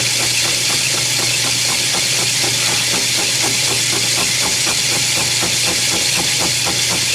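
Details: Lathe machining a steam engine cylinder with a high-speed steel tool, reground to a radius and run at a slower speed. Steady machine hum under an even hiss with light regular ticks, no chatter or squeal; cutting cleanly.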